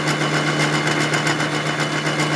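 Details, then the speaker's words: Final light 3/1000ths cleanup cut on a welded crankshaft for a homemade overhead-valve Briggs engine, after 15/1000ths passes; steady even spindle hum with only a faint hiss, the cutter hardly touching. "This last cut is just kind of a cleanup. Take last 3/1000ths off of it. There you can hear it. It's hardly touching."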